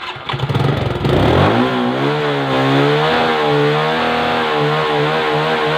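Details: Suzuki 115cc motorcycle in a no-start troubleshooting job: the small single catches after a brief crank, then settles into an even, steady run with no misfire; healthy engine.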